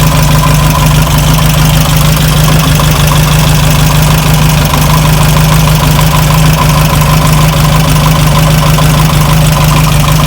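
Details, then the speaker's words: Air-cooled VW Beetle engine at idle, fan belt refitted: steady rhythmic knock about twice a second on the engine beat, from the belt-driven fan or alternator; not heard with belt off, later fixed with parts and serpentine belt. "That's what it is. It's the fan or the alternator."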